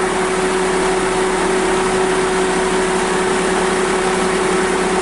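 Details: Mitsubishi Lancer CS3 with 4G18 engine, brought in for stalling and crank no start, now idles with a steady even hum, no misses or knocks; running smoothly.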